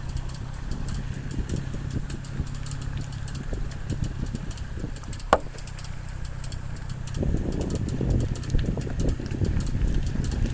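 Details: Ford Focus ST with a fast, light ticking from the driver's side over the low engine rumble, like a card flicking bicycle spokes; it stops for a second after a speed bump, and the cause is unknown.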